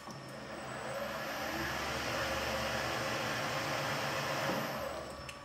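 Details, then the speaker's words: Precision Matthews PM-1440GT lathe with new Marathon E470 3 hp 230V motor on Hitachi WJ200 VFD, replacing rattling stock motor, 5C collet chuck, about 2,000 rpm, reverse: even motor whir and steady gear hum, no knocks or cogging; smooth. "here's how it sounds with anymore no rattling with whoever stopping now I'm gonna go in reverse listen to it again [Applause] not even a single cogging sound where beats the gears against each other"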